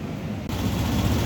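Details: Volta RM5X 160 cc scooter after variator service with a new Powerlink belt, done for the owner's complaint of a squeak on take-off: the engine idles with a steady low thrum, no squeak or rattle, smooth and even. Normal running after repair.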